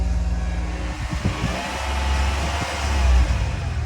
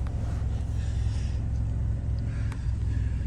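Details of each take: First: Engine revving up and settling with a faint whine above the engine note, AC off to listen; engine otherwise very smooth, alternator looks shot and owner suspects it is starting to go out. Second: Vehicle at auction yard, jump-pack started with dead battery: even low rumble at constant speed with no misses or ticks; smooth healthy idle, ABS and tire pressure lights on.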